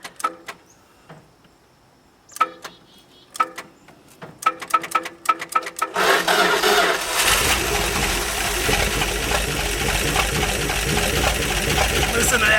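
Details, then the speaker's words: 1970s Dodge Power Wagon 200 "Dude" V8 plow truck parked 40 years, worked on for points, starter, spark and fuel; a few scattered clicks and cranking tries, then it catches and settles into a steady, deep rumbling run before running out of gas. "baby fur got a nice Rumble yeah it does keep her [Music] going"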